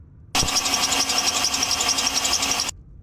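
High, hissy rasp with fast regular chirps, about four a second, from a worn idler pulley bearing.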